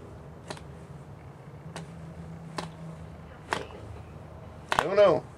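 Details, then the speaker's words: Cox glow-plug model engine on first start attempt, needle valve opened slightly: single sharp pops roughly once a second with silence between, then a brief stutter; fires intermittently but will not keep running. "we go it's firing I can hear it fire come on just open it up a little bit"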